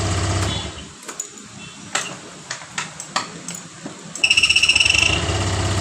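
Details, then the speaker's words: Honda Vario 125 (old model) with an ACG starter: scraping squeaks and clicks while cranking, then a fast high chatter. It took several tries to start, and the noise disappears once the engine runs; squeak while cranking, cause unclear. "Saat di King starter itu ada bunyi the cheat awalnya tapi setelah mesin hidup bunyi indit itu hilang."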